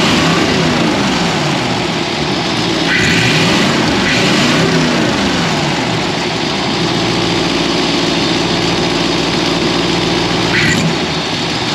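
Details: Ford engine with 4-barrel carburetor, after sanding a sticky slide-linkage spot that made the 4-barrel stick open, hood open: steady warm idle with a couple of clean blips; throttle returns promptly and the engine runs evenly.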